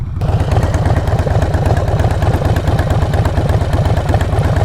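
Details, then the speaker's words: Harley-Davidson V-twin riding with both front-cylinder exhaust nuts/clamp bolts lost: lumpy idle with sharp machine-gun-like puffing pops about three a second, worse popping under hard acceleration; exhaust leaking past the loose clamp. "wow wow did you guys hear that sound like a freaking machine gun going off"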